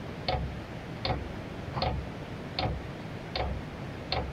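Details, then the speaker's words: Cheap Chinese diesel heater at a cabin during startup, display showing H6 and the fan not yet running. Crisp single pump ticks about every 0.8 seconds, roughly 78 a minute, over a soft hum; fuel is dosing normally. "there is a button with pump here oh it's doing something it's trying to light or it's pumping so it let it do its thing"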